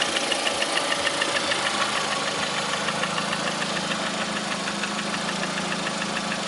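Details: 2009 Lada Priora, 37,000 km, engine began knocking 500 km after adding Suprotec additive: sharp, even metallic ticking knock about three per second at idle; cause not pinned down, suspected not confirmed.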